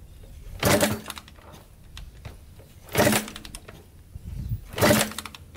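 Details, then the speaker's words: 1987 Kawasaki Tecate 4 250cc quad, first start after rebuild: three kick-over bursts, each dying without catching; fuel is getting through and spark is good, yet it won't start; cranks but won't start. "Alright, it's definitely getting gas. For some reason it doesn't want to start."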